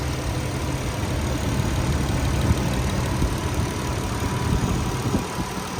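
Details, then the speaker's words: 1997 Nissan Stagea 25RX, RWD non-turbo automatic, about 110,000 km, fresh oil and air filter, hot start: smooth, even low rumble with soft airy whoosh, likened to a hairdryer, no ticks or knocks; healthy warm idle. "now we'll do a hot start I'll show you guys what the motor sounds like here sounds like a hairdyer for the most part but it could be worse"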